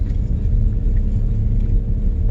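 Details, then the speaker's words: 2001 Audi TT Haldex AWD at 104,000 miles, after a Haldex oil and filter change: low even rumble turning tightly at low speed, quiet with no grinding or binding. Before the change it ground when turning sharply. "quiet silent just turning turning a [ __ ] car like it's supposed to sound"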